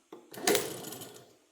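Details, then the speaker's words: 1936 BB truck starter being tested: a quick, clean whir spins up and coasts down in about a second with no grinding. The drive throws forward and engages, unlike the previous starter, which didn't engage. Normal starter operation. "see that it threw it forward so it engaged and like I said the other one was not engag engaging"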